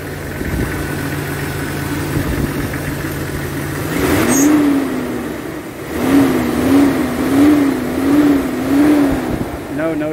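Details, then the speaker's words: Jeep XJ 4.0 inline-six just after new fuel injectors and a heat shield were fitted: a steady, even idle with no skips, then quick throttle blips that rise and settle cleanly, showing no misses. "so let's see right sounds good so far let's check them seems to be running smooth"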